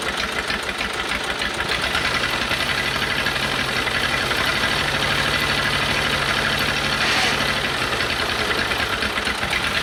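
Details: Old cheap Detroit Diesel two-stroke four-cylinder dozer, after sitting with one cylinder full of water, warming up at a rough, lumpy, loping diesel idle with missing pulses. It runs on only some of its 4 cylinders, smokes and blows oil out the stack.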